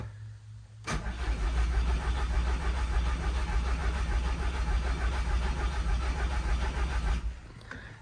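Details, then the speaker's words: VW Scirocco R turbo engine with heavy misfires, bought cheap after a workshop said it was shot; cranked for a cylinder 2 compression test with the fuel pump fuse pulled, turning evenly at about three turns a second for six seconds without firing. "I've connected everything back together and pulled the fuse for the fuel pump. So let's see if there's no... probably it's the same fuse for the instrument cluster. Let's see how the compression is."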